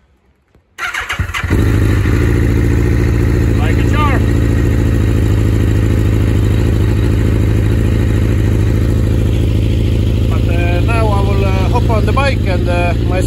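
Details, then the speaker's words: Suzuki GSX-R 1000 with a fault on the first cylinder, restarted after sitting over two months: it catches after a short crank, then idles lumpy and uneven like a twin, with one cylinder not firing properly. "because uh it still has the problem uh with the first cylinder and it's not running very good now"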